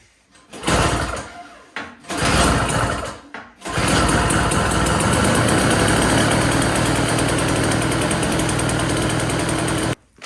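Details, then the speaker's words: Yard Machines 21-inch single-stage snowblower, customer no-start, after cleaning carburetor jet and adding gas: a couple of pulls then steady even small-engine buzz about six seconds before shutoff; runs well. "Well, we got a good little runner."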